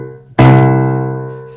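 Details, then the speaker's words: Grand piano with a ringing damper: a single note strikes and keeps ringing, fading slowly instead of stopping dead; muting each string shows the left string is ringing, so the damper isn't fully silencing it. "hear that the left string is ringing so it's the left string"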